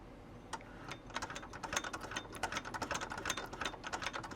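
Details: Singer 401A, sitting for decades, freshly cleaned and oiled, turned by hand before plugging in: a light, even clatter at roughly two or three needle strokes a second, smooth with no binding. It makes a nice stitch.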